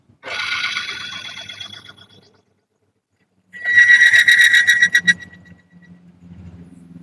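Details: Lupromax HAT engine-additive friction test rig, water added to the oil: sharp high squeal with fast chattering ticks as load rises, then fades while current stays stable around 1.3 A.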